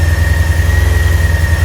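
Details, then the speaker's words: Carbureted Yamaha R6 at about 3 °C ambient, warming up on choke before MOT: steady raised fast idle, even low pulse and faint high whine; nice and warm now, about to take throttle and choke off. Owner plans carburettor balancing. "It's nice and warm. We'll take throttle off, choke off now."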